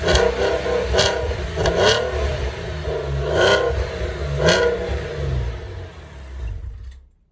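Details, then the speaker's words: Porsche 986 Boxster S cold start after installing a second-hand eBay cat-back muffler, internals suspected blown out: idle broken by sharp revs with raspy booming drone; loud exhaust. "pretty loud."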